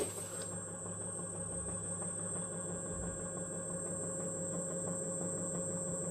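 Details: Xiaomi M365 scooter hub motor, around 1000 km, after a bearing knock: quiet, even hum with faint whine, no grinding or rumble; normal hub motor running.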